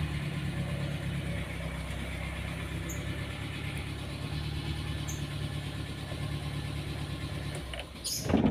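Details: Car with hard starting only when engine is hot, here tested cold in the morning: even steady idle, then brief crank and immediate start; normal cold start.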